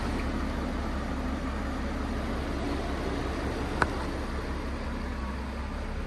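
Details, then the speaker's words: 2003 VW Phaeton W12, 73,000 miles, sat about 7 years, known hot-start issue (won't restart right after running): smooth steady low hum at idle, no knocks, ticks or misses; engine runs great; normal idle. "But other than that, the engine itself actually ran great, as you can hear in these clips."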